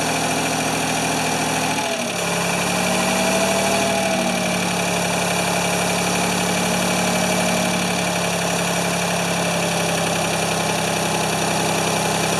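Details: Free Ford 2600 tractor, worn rings oiled, plug wires popping off: catches about two seconds in with smoke and settles into a lumpy, uneven, wavering idle.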